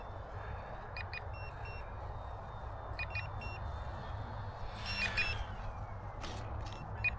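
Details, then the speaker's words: Volantex 500mm P-51D RC plane on its maiden flight, landing after a go-around: short bursts of high beeps about every two seconds over steady motor and wind noise. This is the low-voltage battery alarm. "So that's what it sounds like when the battery's low."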